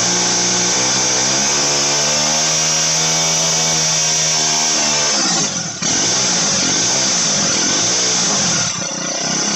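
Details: Motorized bicycle small two-stroke, turbo version 4, after jetting fixed: shrill buzzy dental-drill-like note climbs and drops cleanly with throttle, steady, no misfires; fueling sounds right.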